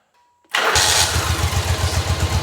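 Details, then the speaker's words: 1985 Yamaha Virago 1100 V-twin, laid up 8 years, after carb, fuel and brake repairs with the choke fully off: a quick crank, a clean catch and an even, lumpy idle with good throttle response. Normal start and idle. "choke is fully off idle's good throttle response is good I'm happy with that for now anyway"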